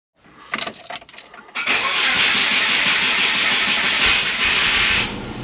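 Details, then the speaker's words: Subaru SF5 Forester, auto-to-6-speed manual conversion: starter cranks briefly, then the petrol engine settles into a steady, even idle without misfires or backfiring, running much better after the Haltech base fuel map was reloaded. "yeah so she's running a lot better I'll start her up and you can just hear that it's so much better"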